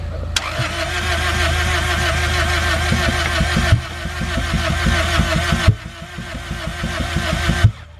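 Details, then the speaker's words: Engine first start after cylinder head rebuild with new valves, cylinders wet: three cranking bursts without catching; crank no-start from bad, black fouled spark plugs not igniting. "All right, so spark plugs were bad. They did not ignite for s"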